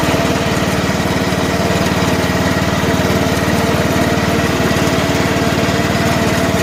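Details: About 2010 John Deere LA105 lawn tractor, 19.5 hp Briggs & Stratton engine, run briefly with no air filter and a little choke, in second gear: even steady beat at fast idle, no misses or knocks; running normally.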